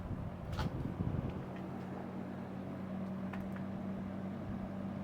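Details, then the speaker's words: Vintage Robeson Kool One box fan after teardown, cleaning and reassembly, on medium: even low hum with soft air rush, no ticking or rubbing; runs smooth and powerful. "Well, that's pretty powerful. It's a shaker."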